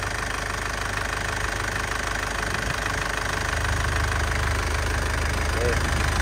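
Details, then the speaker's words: 2007 Isuzu Panther Grand Touring diesel, dry engine with no oil seepage, started instantly: even steady diesel clatter at idle with regular beat, no misses; stable, healthy engine. "cang mesinnya stabil tidak pincang artinya mesinnya sehat ya. Suaranya juga masih enak jadi masih sehat ya."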